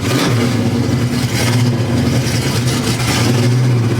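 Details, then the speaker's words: 1970 Pontiac LeMans 455 V8 with Quadrajet carburetor, no choke, cold, fired back up after ignition trouble: smooth, steady rumble held on throttle with light blips, no misfire or knock; normal cold running. "Let's just pretend I didn't just spend $150 to go 10 miles down the road and the car just fires back up."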